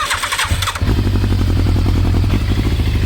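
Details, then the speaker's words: 1980s Yamaha superbike, carbs rebuilt, stored 16 years, flat battery on jump leads, coolant just changed; short cranking whirr then catches into a fast, even choked idle. Cold start on choke. "it's been a while let's give it some choke"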